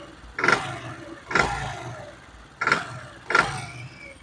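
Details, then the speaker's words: Motorcycle on its stand, normal at idle: four sharp throttle blips about a second apart, each rough and raspy with a rattly knock, worse when ridden; mechanic blames poor, adulterated petrol and recommends draining and refilling from a good pump. "जैसे ही हम हल्का सा इसको एक्सीलेटर देंगे तो वो इंजन जो है आवाज़ करना शुरू हो जाएगा। ये जो हम खड़ा कर इसको स्टार्ट कर रहे हैं इसमें नॉर्मल आवाज़ आएगा, लेकिन जब हम मोटरसाइकिल को चलाते हैं उस टाइम ये बहुत ज़्यादा आवाज़ करता है।"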